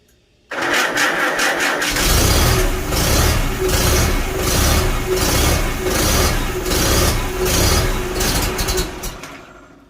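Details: Farmall Super A tractor after magneto rebuild and timing adjustment, second start attempt, choke off: starts promptly, steady even beat, picks up smoothly with throttle, no misses; timing now right.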